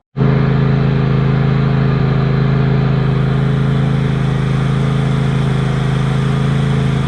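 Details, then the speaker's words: Tractor engine after rodent-damage repair, fuel line replaced and spark plug changed on one side after running on one cylinder: steady, even low drone with constant beat, both cylinders firing, no misses or knocks; running fine around the yard. "I've been using it around the yard and as you can hear the engine is running absolutely fine now"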